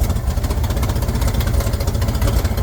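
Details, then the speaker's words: 1967 Chevrolet Corvair Monza 110, hard to start and accelerate after sitting; lumpy, shaking uneven idle because one carburetor's linkage is off and its throttle shaft won't stay in position. "So it looks like that throttle shaft isn't wanting to stay in position here."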